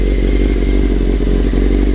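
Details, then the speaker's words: Restored 1995 Honda CBR600F3 with a new chain, warming up before its first ride: smooth, steady, deep four-cylinder idle, loud like a race bike, with no knocks or rattles. Normal warm-up idle. "as you guys can hear still warming up a little bit she is definitely a noisy bike um sounds like it's a race bike for sure"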